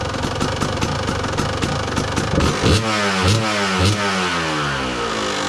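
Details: 2002 Kawasaki KDX 200 two-stroke; crisp blips rising and falling cleanly without hesitation or misfire; healthy revving.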